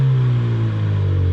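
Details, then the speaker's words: Ford Mustang EcoBoost after going back to factory spark plugs from Accel plugs and swapping coil packs. A short, smooth, clean rev with no stutter around 1,000 rpm: normal revving, with only minor misfire counts remaining. "It's running smoother now. I don't have that same stutter around 1,000 RPMs. Even though there's a little bit of misfiring showing up, that, you know, is nothing compared to what it was. And I mean, it sounds good. RPMs go up, no problem."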